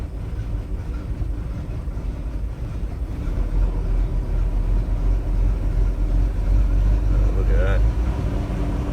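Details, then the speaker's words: Bayliner Capri 5.0L V8 MerCruiser after a carburettor clean: throttle eased on and backed off. Low, even burble that firms up with no stumble or near-stall into neutral. The earlier stalling and flat spot are gone. "that i could never do that before to just stop and when you back it off oh yeah it feels nice"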